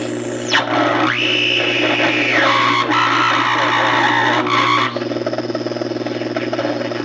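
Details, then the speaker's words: Emerson R167 radio (c.1937–38), not recapped, resistors unchecked, powered slowly on a variac; signal tracer on the 41 tube's plate picks up loud sliding whistles and squeals over a low hum, heavy distortion, radio oscillating badly; cause unconfirmed, output transformer to be checked. "videos got some serious birdies you can tail but"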